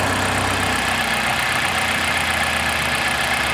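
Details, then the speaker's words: 2000 Toyota Celica GT 1.8L VVT-i after adding about two quarts to the low oil: an even, smooth idle hum with no rattle or valvetrain knock; the noise is cured and the idle is normal. "i added about two quarts of oil introducing up to make a difference on the sound of the engine as you can see the engine is much smoother"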